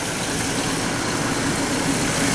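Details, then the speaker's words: Chevrolet Trailblazer after repairs, AC on with compressor clutch engaged: steady, even idle with faint whir, no stumbling; no longer dying at idle. "You can see the AC clutch is engaged. It's not dying no more."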